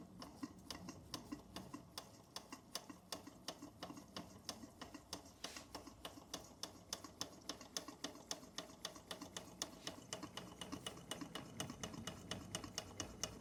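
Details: Bing 10/110 poppet valve steam engine on its original spirit burner, slowed down: light, quick, evenly spaced ticking about three to four beats a second at a steady pace, condensation cleared, under 1 bar (about 10 psi); running smoothly.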